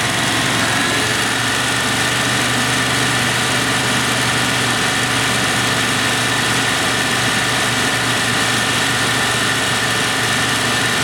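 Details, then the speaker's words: 1996 Dodge Dakota 3.9L V6 after installing a new fan clutch to replace a locked-up one, about 83°F air through radiator; steady idle with smooth air hiss, fan clearly kicks off; clutch slipping normally. "We're ready for the road test, but we heard that fan clearly kick off"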